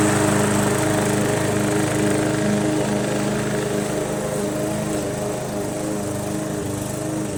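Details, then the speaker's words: MTD Yard Machines 20" push mower, Briggs 300E, cutting grass after carb clean, throttle spring adjustment and draining water from the gas tank: steady, even drone with clean unbroken firing, no surge or misfire; normal running under load. "it was just a simple car clean and throttle adjustment with the throttle spring had a little water in the gas tank and we cleared that blew it out and it runs pretty good"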